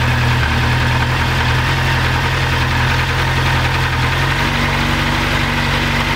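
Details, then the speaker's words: Honda CBR 1000F SC24 that sat unused for several weeks, hard starting after long cranking: a low, uneven putter that only weakly catches and struggles to keep running. The cause is suspected but not confirmed. "Now o coś już zaczyna łapać ale jeszcze słabo nadal"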